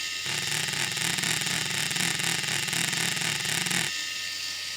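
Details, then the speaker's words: RC crawler axle joint at a large steering angle: high whine with a steady wah-wah pulse as output speeds up and slows, fast-slow four times per revolution; the plain joint is not constant velocity. "that's the non-uniform rotation fast low fast low four times per Revolution at the output"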